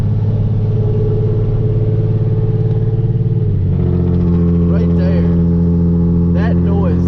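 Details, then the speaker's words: Hyundai Genesis Coupe, fully straight-piped after NGM headers were installed about a week earlier: a low, choppy, throbbing exhaust drone under load while climbing a hill, far too loud for daily driving. "it's just like this choppy just weird droney sound man and it's also just too much to deal with on a daily basis"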